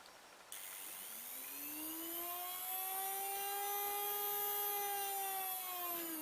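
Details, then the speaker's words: Decoder from an old Hornby Class 101 three-car DMU on a decoder tester: clean, steady motor whine climbs in pitch as power comes on, then holds evenly, running forward and back; decoder motor functions work properly. "And if you can hear that whine, you understand that it's going forward. And back. So we know the motor functions are working on this decoder."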